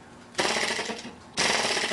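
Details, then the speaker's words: Cold model engine (Little Blazer build) popping and misfiring in sharp bursts; moisture forms around the port and seals it, so it won't run cleanly until warmed up; a couple of the engines running worse than others. "you can see that now that you hear that that loud pop that's moisture around that it's sealing it up completely so you've got to warm it up to get the moisture to stop forming"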